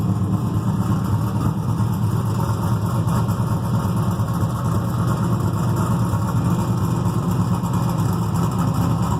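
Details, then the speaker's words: Freshly built carbureted 6.0 LS V8, mechanical fuel pump, distributor, stock crank, rods and rocker arms, 10.48:1 compression, heavier pistons, solidly frame-mounted: deep steady idle with mild rhythmic lope, no ticking, knocking or vibration; normal idle. "i figured if there's any uh uh balance issues it should vibrate your teeth and it doesn't it seems like it uh is nice and smooth um yeah so there you have it sounds good runs good"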